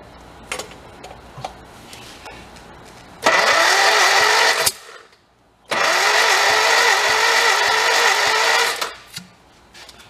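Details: 1955 Morris Oxford parked for 33 years, cranked with the throttle closed. Two long bursts of steady starter whine with no catch or firing; the engine cranks but won't start.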